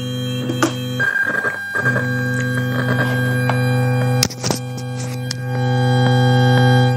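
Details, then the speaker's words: Bluetooth amplifier module with its 5 V/12 V supply connected: steady low hum with a buzzy edge that disappears when the supply is disconnected and worsens with Bluetooth connected; fault traced to the power supply section. "Nah, dengung lagi kan? Berisik lagi. Ini tentunya sangat mengganggu ya bagi yang mendengarkannya."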